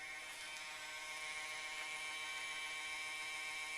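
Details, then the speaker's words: Dell Optiplex GXa 266 MHz desktop: a harsh, high-pitched grinding drone with faint wavering runs throughout; the owner suspects the CPU fan. Grinding noise. "oh there's that noise again see that's probably the CPU fan that was making that awful grinding"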